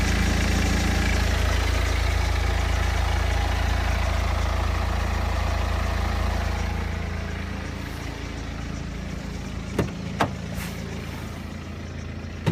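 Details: BMW 120d N47 diesel, 125,000 km, cold idle: steady clatter with a light metallic rattle, clearly audible now in cold weather; owner suspects timing chain noise, not confirmed.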